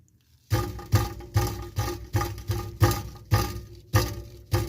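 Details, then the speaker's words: 2007 Honda CR-V that stalls after about 1.5–3 minutes with a rattle underneath: about nine hollow clunks as loose pieces tumble inside the removed catalytic converter when shaken. The honeycomb substrate had broken apart. "Yep this okay the substate inside the honeycomb had fallen apart but I still want to open it so I can hear it just floating around there"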